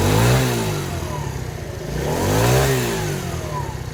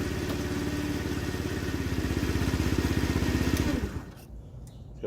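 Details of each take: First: TaoTao 50cc Chinese scooter, 3,693 miles, bought as not working, running with cover refitted: buzzes cleanly, rising and falling smoothly through two throttle blips with no misses; normal running and revving. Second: TaoTao 50cc Chinese scooter, 3,693 miles, bought non-running, electric start: rapid cranking pulses around four per second with a rough, uneven edge before cutting out; owner suspects the starter Bendix is slipping and needs replacement.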